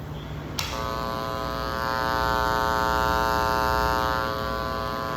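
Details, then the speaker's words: Church sound system: loud steady buzzing hum with stacked even tones, mains hum caused by sound system sharing a circuit with ordinary outlets and lighting instead of an independent balanced circuit. "Porque é que tem que ser circuito independente, elétrica do som independente da elétrica de tomadas comuns e iluminação?"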